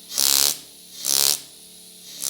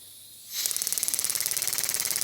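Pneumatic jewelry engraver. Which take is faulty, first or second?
second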